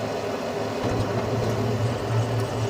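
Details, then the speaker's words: Carrier Infinity 96 (58MVB-080) gas furnace in heat mode with four burners, one recently realigned during a PM: the hot surface igniter glows, the gas valve clicks, then a soft whoosh as the burners catch and a steady low rumble of even flame on low stage; normal burner ignition. "now the igniter is glowing so you hear the gas valve click and you'll see the burners"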